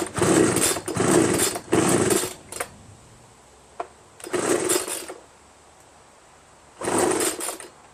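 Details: Homelite 25cc yard broom leaf blower, fresh two-stroke mix, primer bulb filling and fuel reaching the carburetor, choke on: five recoil pulls, each a quick raspy whir without a pop; spark and fuel present but no compression from a scored piston.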